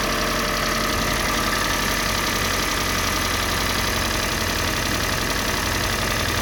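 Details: Kia Sportage 3, G4NA engine on Total 5W30 oil: loud idle with fast light tapping, roughly three or four a second, over the engine; engine knock at idle.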